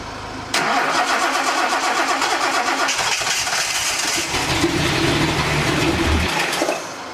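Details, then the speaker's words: Datsun 280Z: fast, steady cranking for about six seconds with no firing. Spark is confirmed but no fuel is delivered; the fuel pump is to be hardwired to the battery to test it. Crank, no-start from lack of fuel. "fuel we know the problem is this fuel we have spark so yeah that's good"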